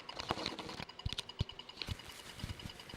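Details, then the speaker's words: Atari 400 on about 11 V AC unloaded supply, long stored in poor conditions, first power-up: irregular short high chirps and clicks over low hum; it keeps registering key presses because the spacebar is stuck down. "A lot. It's trying to do something. Oh, it thinks the keyboard's getting clicked. Look at that. Somewhere. Where was the think? Oh, the spacebar's stuck down."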